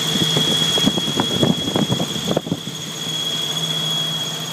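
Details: Jeep YJ 4.0L engine at idle: a steady high-pitched squeal holds over some irregular clatter underneath. Engine squeal, cause not yet found.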